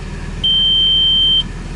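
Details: 2004 Audi Allroad at quiet idle: one clear high beep of about a second. All gear indicators light when shifting to reverse, reverse engages harshly, and the transmission control module has failed.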